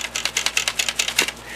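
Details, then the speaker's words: Used TEAC FD-505 3.5/5.25 combo floppy drive handled on arrival: sharp, light plastic clicks in quick bursts from something loose inside. Possibly a loose or broken drive head, not confirmed. Loose part rattle. "something potentially loose in there. Hopefully not broken. It could just as be possibly a loose drive head."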